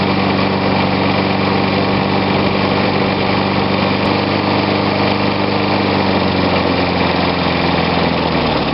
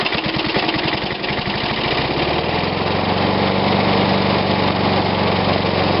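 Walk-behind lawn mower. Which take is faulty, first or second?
first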